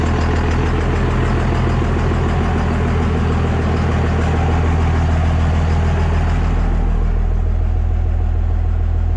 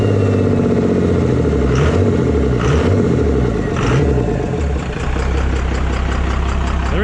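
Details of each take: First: 24-valve diesel pickup just converted to a P-pump, first fire-up after priming fuel: steady, even diesel clatter over deep low rumble, no misses or stumbles; smooth, healthy idle, before fitting 4K governor springs. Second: 24-valve diesel pickup after injection pump swap, pump timed to stock, not fully warmed up, intake removed: gruff idle with loud hissing, gulping air note from the open intake; goes away with intake fitted.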